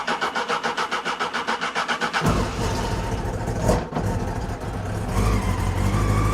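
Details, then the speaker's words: £400 Honda CB600 Hornet motorcycle, cold, choke on, third attempt on another battery; steady starter chug about two seconds, then catches and stumbles into a rough uneven idle, hard starting, prolonged cranking. "Well, that wasn't so easy to get started. It should have been easier than that, but it runs anyway, so we're just going to let it warm up a little bit."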